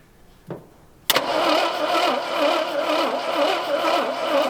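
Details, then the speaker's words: AMC Rebel SST sitting 35 years since 1989, cranking on brake cleaner with no gas; starter spins light, fast and even without rhythmic labouring or shaking; owner says it has zero compression. "That sounds awful. It has 0 compression currently. You can tell by the way, it's not like, you know, shaking or anything. Like you can tell it'll kick when it has compression. This thing has nothing."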